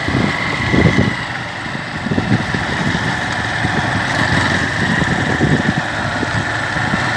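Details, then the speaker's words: Honda Fan 150 motorcycle after oil pump gear reassembly: steady even single-cylinder idle putter with no knock or piston-slap-like rattle heard before the repair; engine noise fixed. "observa que antes ela trelava bastante, né? Como se fosse pistão batendo. Agora aí, ó. Tá aí, zerado."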